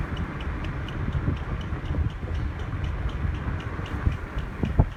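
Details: Car driving to the mechanic in Drive; light regular chirp about four a second keeping pace with road speed, stops when stopped, owner suspects tires, not identified. Squeak while driving.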